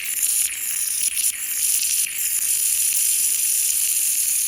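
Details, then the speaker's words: Porsche Cayenne/VW Touareg air-suspension air spring tested off the car with a makeshift compressor fitting at 15 psi: steady sharp hiss of air escaping. The airbag is damaged and needs replacing. "And right now it's at 15 psi. You can actually hear it leaking."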